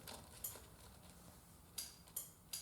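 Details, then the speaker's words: 1st Gen Yamaha Virago with no-crank fault, ignition on: quiet background with a few sharp, irregular relay ticks as wiring is moved; culprit found to be a bad connection on the Red/White +12 V main feed wire shutting the bike down. "You can hear that relay ticking. So something is up right there with that wire right there. That's my culprit."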